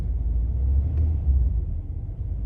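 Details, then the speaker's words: 1985 Chevrolet Caprice Classic, 5.0L 305 V8, ~152,730 miles, warm, back in garage after EGR valve replacement (before: low rough idle, stalling at stops): idle very smooth, low even rumble, no misses or stumbles; healthy idle. "okay so pulled it back in the garage now idle is very smooth"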